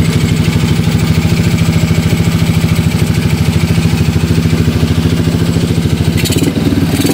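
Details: Mio Soulty scooter with 59 mm block, which was hard to start with carburetor overflow, after teardown and reassembly: steady single-cylinder putter with an even idle and no knock.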